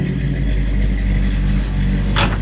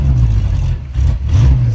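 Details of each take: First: The big block 454. I like those. Hell yeah. Sounds good. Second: 1964 Chevy Nova small-block V8, running rich with wasted fouled spark plugs: lumpy uneven low rumble that sags and surges like an air-cooled VW, two cylinders dead and little power; misfire from fouled plugs.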